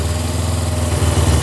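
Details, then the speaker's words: 2000 Suzuki GS500E twin, recommissioned after restoration, electric start on choke. Even, steady low thrum with no misses or knocks, settling into a smooth, healthy idle. "Wow, that sounds lovely. I'm super impressed by that."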